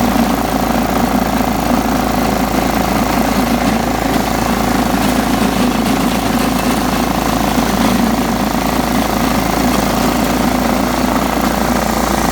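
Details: John Deere STX 38 riding mower, revived with a new battery and a little tweaking: even, steady drone with no misses, knocks or surging; smooth, normal running.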